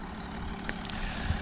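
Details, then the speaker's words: Jaguar XF 3.0D V6 diesel at idle after alternator replacement (battery fault traced to alternator): even low smooth rumble, no belt noise or other problem; normal idle. "Güzel de oldu. Ne kayış sesi geliyor, ne herhangi bir başka bir problem."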